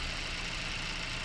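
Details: Haval H6 1.5T with a P0300 multiple-misfire code, check engine light, power loss and shaking at idle, after coil secondary signals were checked: short steady idle with an even low rumble and faint high tone, no stumble or miss. Normal idle.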